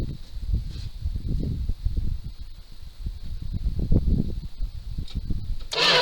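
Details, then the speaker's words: 1978 Dodge D200 crew cab with 318 V8, abandoned 17 years, cranking on a replacement starter: slow, uneven churning that never fires; no spark at the plugs, owner suspects the ignition box. "Okay, no spark. Well, not much to go wrong on these."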